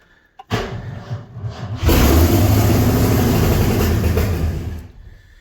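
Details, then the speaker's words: 1984 Ford F250 V8, manual, first start in years: cranks, catches and settles into loud raw slightly fast idle through open headers; many vacuum leaks, possibly lean, needs tuning; high idle. "she idles a little high yet there's still definitely a lot of tuning that needs done"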